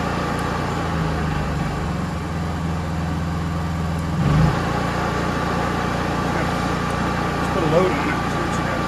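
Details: Honda EU3000is inverter generator with a Nashfuel propane/LP conversion kit installed: steady, even low hum with no surging, misses or knocks; it holds speed cleanly on propane.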